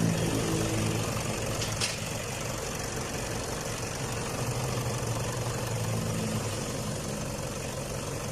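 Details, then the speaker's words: Toyota D4D diesel after repair for warning light, sluggish acceleration, stalling at idle and smoke: steady even diesel clatter at idle with no knocks, surges or stumbles; normal smooth idle. "มีเสียงเครื่องยนต์นิ่มมากนะครับเพียงเครื่องยนต์นิ่มมากครับเสียงดังคิดอย่างกับรถออกจากโรงงานเลยครับ"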